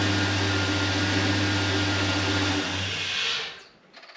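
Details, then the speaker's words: LS-swapped car after flex plate replaced and torque converter bolts tightened with Loctite: steady, even engine hum with no ticking for about three seconds before shutdown; earlier tick gone after the fix. "We're gonna see if it ticks. Yeah. No tick, it's amazing what will happen when the bolts are friggin' tight."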